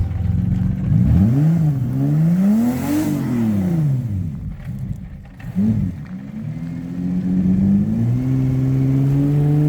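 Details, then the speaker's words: Turbo 3800 V6 Cutlass Cruiser wagon, 5-speed, new build with tune not yet learned, first drive on its own power: revs rise and fall cleanly then settle to a smooth steady pull, no knocks; runs healthy. "So it did stall a little bit, but otherwise ran extremely well for the first time it's ever actually driven on its own power. Let's hear some real revs."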